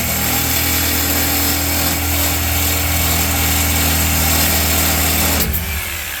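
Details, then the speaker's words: Toyota Tundra with aftermarket cat-back exhaust: cut stock muffler, sketchy-welded aftermarket muffler, resonator delete. Loud steady low droning roar constant under the engine noise; before restoring factory parts. "But my biggest gripe with it is that it drones so bad. When you're driving in it, all you hear is that annoying drone nonstop."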